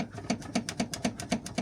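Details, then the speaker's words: Renault Mégane Scénic III with a right-side knock. Tie-rod end and stabilizer link already replaced, stabilizer bushings good. Rocking the subframe bracket by hand (its internal nut has worked loose) gives sharp hollow metal knocks as the subframe tube strikes the chassis rail. Suspected common fault. "І ти, коли береш за той кронштейн, начинаєш шатать і получається ця трубка, яка держи подрамник, циліндр оцей, він б'є в лонжеer походу у них така болячка."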